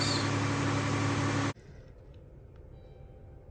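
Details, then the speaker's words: 2015 Dodge Grand Caravan 3.6 L, first start after repair for P0303 cylinder 3 misfire and P219A bank 1 air-fuel imbalance, fuel rails reinstalled and torqued: a smooth, even idle with no stumble or skipped beats. It sounds like a normal, healthy idle. "right off the bat personally feel that it sounds smoother here's to be running better"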